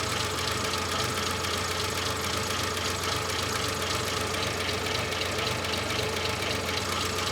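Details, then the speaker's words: Renault 25 V6 Turbo with idle problem and burning ECU, just started held on throttle: engine sits very low at idle with an uneven, lumpy beat and a steady hiss; idle control valve suspected shut or defective. "bit it's idling very low it's not burning just yet I wonder if it's doing anything"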